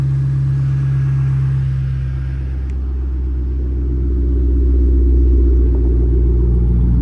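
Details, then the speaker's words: 2005-2009 Mustang GT V8 after replacing spark plugs and reinstalling coil packs for a misfire: deep, steady rumble with an even pulse at idle, smooth start, no misfire. "oh that was a smooth start no misfire I I can already hear it there's zero misfire"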